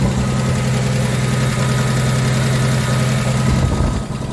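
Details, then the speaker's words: 1973 Plymouth Scamp after replacing a leaking Holley Blue pump with an electric fuel pump and fuel filter: steady even idle with low rhythmic fuel pump pulsing underneath; normal idle. "I can feel that pumping away, pulsating, so that's working lovely. Lovely. Nothing wrong with that."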